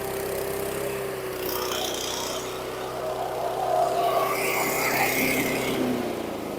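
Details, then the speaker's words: 2010 Troy-Bilt CSV 070 chipper shredder vacuum with MTD 173cc engine, high RPM, just started; idle pitch drifts up and down with swelling loudness, fluctuating idle, owner suspects it needs a carb clean. "so kind of a fluctuating idle I'm sure it needs a carb clean but kind of surpris it started"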